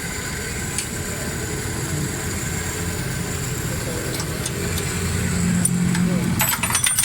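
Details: Suzuki Cultus three-cylinder carbureted car after tuning; it previously had loud engine noise, black plugs, high fuel use and smoke. Even low idle throb around four beats a second under shop noise and a few clicks; it settles into a smooth idle.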